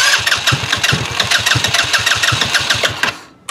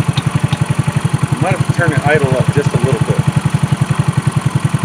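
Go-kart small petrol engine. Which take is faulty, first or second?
first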